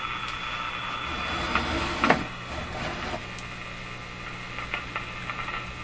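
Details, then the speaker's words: Moffat (Crosley) G2465 five-tube radio at first power-up on dim-bulb-style supply: constant low hum with buzzy edge under faint station and crackle, poor reception; speaker and output transformer work, hum cause not traced. "again it's humming and buzzing a bit and the reception is poor and all that kind of stuff"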